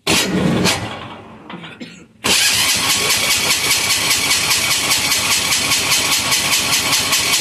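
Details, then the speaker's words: Amazon 186FA diesel on waste vegetable oil filtered to half a micron, after running out of fuel: halting uneven turnover about two seconds, then catches into fast steady chatter; slow start from likely air pocket in fuel line. "it's going to take a second to start because we ran it out of fuel and there's probably an air pocket in the system"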